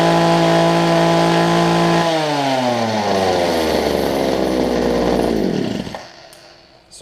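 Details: Homelite hedge trimmer after new fuel lines, primer bulb and carb tuning: a crisp, high two-stroke buzz holds steady, then falls smoothly in pitch as the throttle drops. Runs fine.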